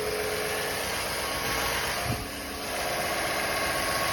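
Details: 2017 Chevrolet Silverado V8 at idle after a DOD delete: a light, fairly quick top-end ticking, about four per second, over a steady idle, with a fuel smell noted. Cause unclear.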